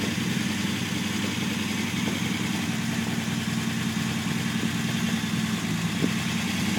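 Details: Unimog 404 first start-up after new fuse boards and a rewire; steady mid-pitched idle with a slightly loose, lumpy beat but no knocking or misfire, running normally.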